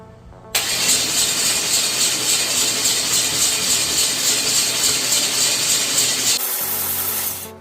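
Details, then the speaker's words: Junkyard 6.0 V8 (bored 20 over, built for turbo) cranked on starter jumped directly with battery on charger for fast turnover; fast, even starter whir about six seconds, no compression chuffs or knocks; normal cranking. "I do got the battery on the charger so we can have the motor turn over fast enough."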